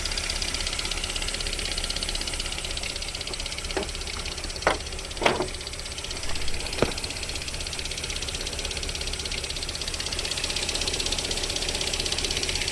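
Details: VAZ 21127 engine idling cold during warm-up with a light, fairly quick tapping knock of about four beats a second; it disappears once the engine warms to about 40 degrees, origin unclear.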